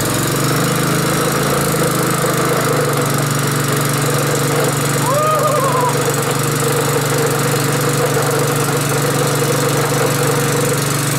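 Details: Small single-cylinder pull-start engine, just started after several tries at about minus 20: steady, even hum with no misses or knocks, running smoothly.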